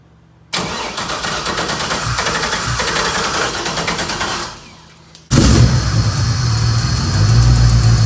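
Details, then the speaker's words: LS-swapped Toyota FRS after fixing a gasket leak that let in too much air at idle: engine catches, runs ragged and uneven, fades out, then fires up louder; owner found fuel map was lean. "and I found out that my fuel map was lean"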